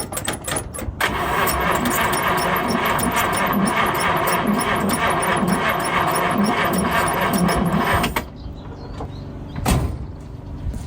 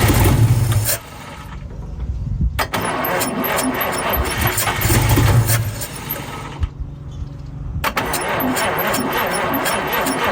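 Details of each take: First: 1952 Chevrolet Bel Air 235 six, sat about 3 years, new carburetor built, earlier no spark: steady even cranking with a rhythmic chug for about seven seconds and no firing; turns over but won't start, no fuel. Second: 1952 Chevrolet Bel Air 235 six, standing about 3 years, first start after fitting a new carburetor: cranks over in a couple of tries, then catches and settles into a steady, even idle; engine runs.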